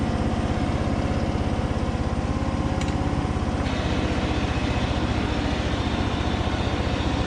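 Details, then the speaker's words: Craftsman DYT4000 riding mower, Briggs & Stratton single cylinder, after fuel pump install and valve adjustment, burning off oil, driving: fast idle thump with slightly loping irregular beat; carb suspected to need more adjustment; uneven running. "still sounds like it needs a little bit more adjustment on the car but overall it's driving good"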